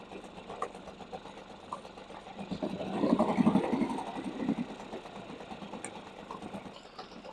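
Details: Two-stroke outboard, first start of the season after flooding cleared and plug refitted: small two-stroke buzzing at quick steady patter, no stumbling, idling cleanly.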